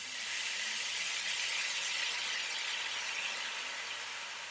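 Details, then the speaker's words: Compressed-air line with newly fitted in-line air filter, regulator just opened: loud steady hiss fading as pressure drops; air leaking past a copper pipe olive not seated properly in the fitting. "Okay, we've got a massive leak over here. You can hear it. So that copper olive, the olive on the copper pipe is not sealed at all."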